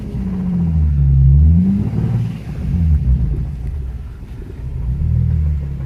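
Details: Nissan 350Z engine revved three times: a deep rumble with a heavy, fast rod knock from a spun bearing, which progressed from a minor tick to a full-blown knock.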